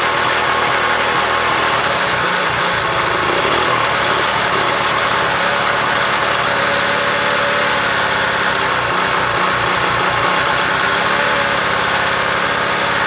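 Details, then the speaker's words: 1966 Honda CL90 (owner unsure of year), rebuilt top end, idling after debris was cleaned off the ignition points: quick, even buzzing idle that settles and holds steady, no misses or stumbles; running fine. "yeah okay wants to run good"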